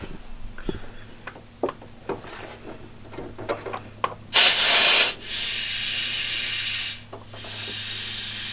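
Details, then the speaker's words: Honda Civic DIY boost leak test at about half a bar: after handling clicks, a loud steady hiss of air escaping at a loose intercooler coupler. The fix is to tighten it and seat it over the lip. "so you could hear that but go look at that coupler and try to get a little bit tighter or get it over the lip better so that it doesn't um leak like that"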